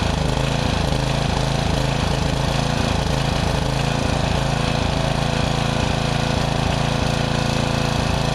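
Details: Murray riding mower, mouse nest cleaned out: the choke is pushed on and off to simulate a stumble that began after cutting half to three-quarters of the lawn. The single-cylinder beat repeatedly falters and picks back up. Owner maybe suspects overheating, unconfirmed.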